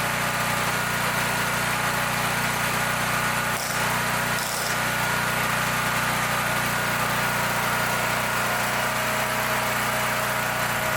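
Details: Brand-new Champion EFI (electronic fuel injected) generator that customer reported wouldn't start; fuel smells of diesel or kerosene, suspected poured in then drained. Small engine holds a steady, even hum with no stumbling or surging; running properly.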